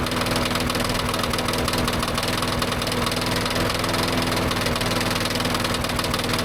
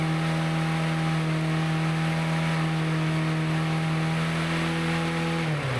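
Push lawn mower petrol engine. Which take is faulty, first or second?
first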